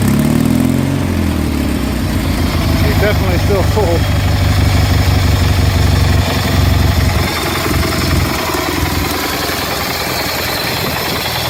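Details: Replacement Kohler M18 twin for a Craftsman GT 6000 tractor, started cold: starts readily and settles into an even, steady low beat with no knocks, misses or rattles; a healthy idle.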